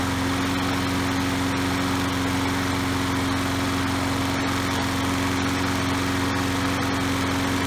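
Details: Troy-Bilt self-propelled mower with a Briggs & Stratton 675 series 190cc engine, running after a new spark plug and a kill switch fix: a steady, even drone with a constant hum and no misses or knocks; it runs smoothly.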